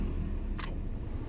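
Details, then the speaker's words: Lancer A/C after fitting a surplus replacement part: at steady idle, one sharp click as the compressor clutch engages, RPM rises and the air turns cold. The A/C is fixed. "Thats it. I hear that our compressor got triggered Then our RPM increasd. So our aircon is cooling, finally."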